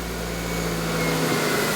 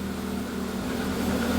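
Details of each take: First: Proton Wira being returned to the road after 12 years of storage: catches and settles into an uneven, slightly lumpy, wavering idle; doesn't start as it should. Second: Proton Wira being returned to the road after 12 years, fuel pump spaced off the tank bottom with a thicker gasket: short, steady low idle hum with no whine; fuel pump quiet, engine sounds fine.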